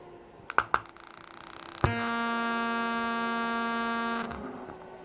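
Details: Harley-Davidson radio amplifier (part 76192-98) on the bench, input capacitors suspected: a few sharp clicks, then a loud steady buzzing hum that cuts out after two seconds.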